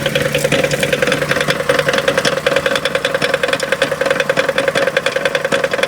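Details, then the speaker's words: Chrysler Town and Country, stopped at idle (not heard while driving): sharp, regular ticking at about 3.5 per second. It was suspected, then confirmed, as a cracked flex plate with a visible crack at its edge. "when you go down the road you don't hear but when you're stopped you can hear it when I stop up here I'll show youall what I'm talking about here I'm leaning towards something maybe to do with the flex plate"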